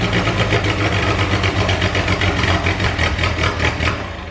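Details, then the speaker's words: Volvo 340 with a swapped turbo engine, first start in 10 years: it catches and settles into an even idle with steady pulses, no knocks or misses; it idles well even with most pipes still disconnected. "But yeah, as you saw, all starts, all works. Idles pretty well actually, considering pretty much all of the fucking pipes are disconnected."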